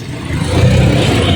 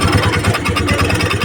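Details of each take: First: Honda Dio scooter idling smoothly on the single stand after repair: the rattle caused by a loosened spring rubbing at the starter side is gone, leaving a steady low drone with no grinding; normal idle. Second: Honda Dio scooter on single (side) stand: fast rhythmic rubbing chatter over steady idle, heard only when running on the stand, not when upright; starter pinion (bendix) dragging on flywheel.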